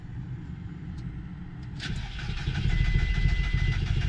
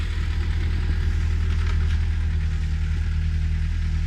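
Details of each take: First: VW Golf Mk4 1.4 petrol right after replacing the original, never-changed fuel filter: starter churns steadily for about three seconds but the engine never catches; cranks but won't start. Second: VW Golf Mk4 1.4 petrol after fuel filter replacement, running after an initial failed start: steady low hum with an even, settled pulse and no misses or stumbles; no leaks seen, idling cleanly.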